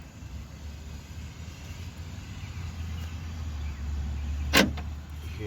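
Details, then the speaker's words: 2010 Toyota Corolla LE rear door power lock actuator after replacement, tested before reassembling the door: crisp single clunk as the lock throws over a low hum; the new actuator works normally. "it unlock that means this work great"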